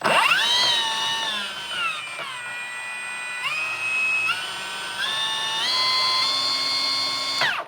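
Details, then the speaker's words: Milwaukee M18 FPS55-0P track saw, fully charged battery, free-spinning with no load while the adjustable speed dial is varied: whine climbs and drops smoothly, clean and steady; healthy motor. "It's also got an adjustable speed, so I'll lower it and put it up and you can see what it sounds like."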